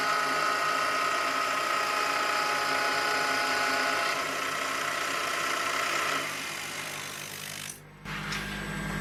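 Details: Milling spindle on a heavy roughing helix-spiral cut into a hole (to 26 mm diameter): steady cutting whine with rapid chatter, then tone sags and fades as it loses almost 200 RPM; the cutter survived.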